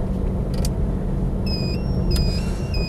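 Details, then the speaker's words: Triumph Stag automatic, V8, 95,000 miles, driving in D: smooth, even low rumble with no misses or knocks, under chirping indicator beeps from an added warning buzzer; starts on the button, no misfiring, hesitancy or overheating. "So, starts on the button, no misfiring, hesitancy or overheating. It's got a lovely engine on it."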